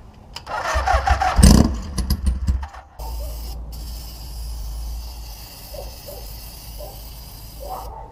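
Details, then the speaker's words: Old cafe racer motorcycle after rewiring, with water coming out of the exhaust. A slow, uneven starter churn that never catches; owner suspects water in the cylinders and poor compression. Cranks but won't start. "well maybe the compression we do have is because of the water and the cylinders is terrible anymore"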